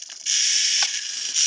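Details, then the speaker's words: Traxxas Revo 3.3 nitro RC car, stock throttle servo being swapped for a Power HD; fitted reverse servo is the wrong type, harsh high-pitched gear buzz in roughly one-second bursts, servo grinds, "demon sounding", doesn't actually open the reverse. "oh it's actually working this is very demon sounding it does it doesn't actually open the reverse though"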